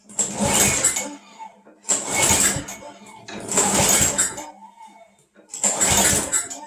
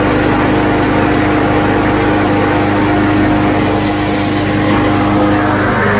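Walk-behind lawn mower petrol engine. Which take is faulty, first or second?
first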